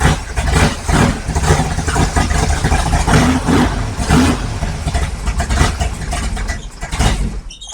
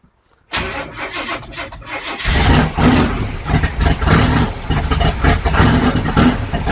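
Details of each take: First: 55 Chevy big-block V8 first start, about 65–70 psi oil pressure: runs lumpy and uneven for several seconds, won't settle into steady idle, then dies. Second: 1955 Chevy with big-block V8, first start after stalling once, running on battery: brief cranking then deep lumpy but steady idle with a few blips; runs healthy, warming up.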